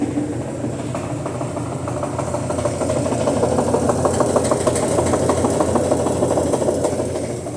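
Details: Brastemp BWL 09 washing machine on spin: a steady hum with a regular knock about three times a second, from noise in the worn suspension.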